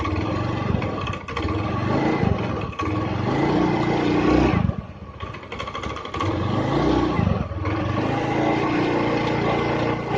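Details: Honda Beat scooter engine after total teardown and rebuild for rough noise, hard starting and oil burning: even idle between several throttle blips that rise and settle cleanly, no knocking; sounds healthy.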